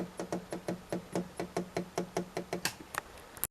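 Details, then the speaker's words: Rapid, uneven ticking pulses of two to three per second with a low hum from a vintage Rediffusion Mk3 TV on a variac; the 300 V HT rail is very low and pulsing, and a line output stage fault is suspected. "listen to the variac but the barrier doesn't like that and I'll sell them 300 volt HT rail is very low on pulsing so I would imagine something's gone off in the line output stage"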